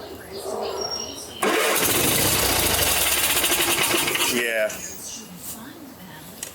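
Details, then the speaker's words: 1980s Simplicity Sunstar after starter solenoid replacement: the starter churns the engine unevenly for about three seconds but it never catches. Fuel is visibly pumping and the choke may not be working; it may need priming. Cranking, no start. "we might have to prime it I see some fuel coming up it's pushing some fuel"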